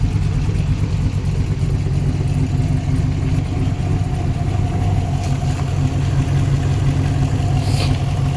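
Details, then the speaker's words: Chevrolet Colorado with a V8 swap, back running after an oil problem, with a new PCV setup and coolant refilled. Idling while walking around the engine: a steady, even low rumble with no knocks, ticks or misses, still sounding good. "let me just kind of go around with it running and just let you guys hear that it's still sounding pretty good"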